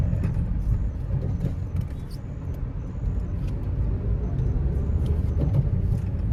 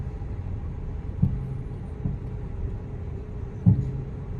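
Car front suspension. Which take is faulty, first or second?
second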